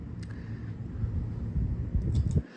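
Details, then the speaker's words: House ceiling fan, mounted high, running. Steady low whir with a soft rush of air and no knocking or wobble: it runs smoothly. The owner says he usually runs it on low to keep air moving. "and usually when I have company over and whatnot just to keep the air moving around I have this thing on low uh doesn't produce that much of air flow doing so but that definitely helps"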